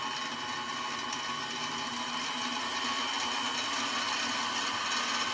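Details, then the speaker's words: Mini milling machine with a gear-driven spindle started cold, cooling fan at the rear: steady even high-pitched whir with no knocks, surges or wobble; a bit noisy but running healthy with no vibration. "I I'm pretty sure it's some kind of gear drive. So, it is a little bit noisy."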